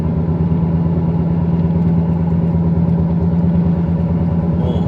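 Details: 2008 Volkswagen Passat driving around 60 km/h and above: deep, steady low-pitched droning hum over road noise from a worn hub bearing, fixed by hub bearing replacement.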